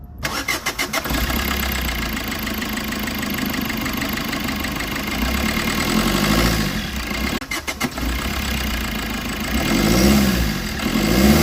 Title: Injector issue white smoke engine knocking